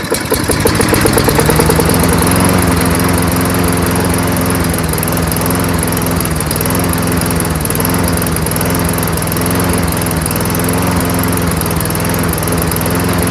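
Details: Toro Recycler 22-inch self-propelled mower, Tecumseh engine with freshly cleaned carburetor, running on its own after priming: steady even putter but engine speed a bit low; raise RPM by bending governor spring bar outward.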